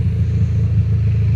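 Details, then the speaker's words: 2004 Honda CR-V (2nd gen) with stolen catalytic converter, at idle: deep, loud, steady low exhaust rumble, much boomier than normal; exhaust leak from missing catalytic converter. "Bruh, do you hear how loud this is right now?"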